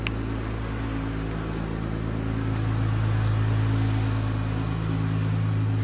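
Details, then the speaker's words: 2015 Dodge Grand Caravan 3.6 L, after clearing P0303 cylinder 3 misfire and P219A bank 1 air-fuel imbalance codes: even, steady low hum at idle with no stumble; smooth idle, misfire monitor showing no misfires. "let's get her started up here check engine light sounds nice and smooth"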